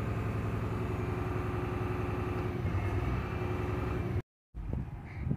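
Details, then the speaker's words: Tata BS6 phase 2 Cummins diesel (RDE), full throttle but RPM stuck at 1200–1300, won't climb, no fault codes; steady drone at one speed then cut; fuel starvation from kinked/stuck diesel fuel line. "हमने इसे पूरी तरह से दबा दिया है, और यहाँ आप देख सकते हैं कि आरपीएम 12, 12, 13 तक जा रहा है। यह इससे ऊपर नहीं जा रहा है।"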